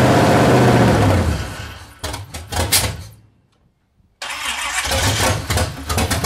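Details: C30/383 stroker engine after replacing the stock starter with a high-torque racing starter: quick, strong, even cranking at about four turns a second, the engine catches and revs, dies, then fires again; the engine still won't idle.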